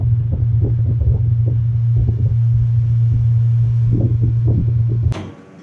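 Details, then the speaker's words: Newly installed three-wire replacement condenser fan motor on an AC condenser runs with a steady low electrical hum and windy gusts, then cuts off cleanly. A slight buzz is normal; grinding or loud noise would mean a bad motor. "And these always make a little tiny bit of a buzzing noise, but you'll know when it's bad. You'll hear the grinding and the loud noise."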